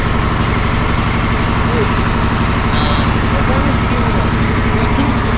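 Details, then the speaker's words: KamAZ truck after replacing the narrow compressor hose with a copper tube: steady diesel idle, and the air dryer no longer hisses or sneezes; it works normally. "твой работает нормально"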